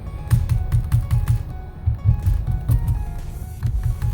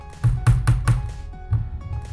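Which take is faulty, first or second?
second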